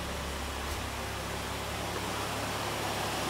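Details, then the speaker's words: 6-port 13B rotary running on MegaSquirt 2 Extra (v3.2.5a), heard from the exhaust at the back: dense, even buzzing drone with a steady beat and no misses or stumbles; it idles smoothly and sounds like a rotary again. "so we have success it sounds like a rotary it doesn't sound like a piston engine anymore go around to the back you can hear the sound that's that's just lovely"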